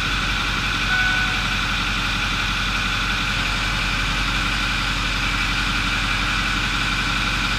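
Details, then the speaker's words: 2008 Ford F350 6.4L diesel with P0206 cylinder 6 injector circuit code and power loss when towing: even, steady diesel idle with constant low rumble and no skipped beats; normal idle, no current misfire at idle. "the thing idle's really nice so it's not currently a misfire"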